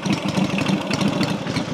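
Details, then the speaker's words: Rebuilt Matchless G12 twin (new crankshaft, conrod, main bearing), manual advance retarded to drop tick-over; slow, loping, even firing pulses, no stumbles or clatter. Normal, much slower idle. "but she wrote spot well much slower tick over now"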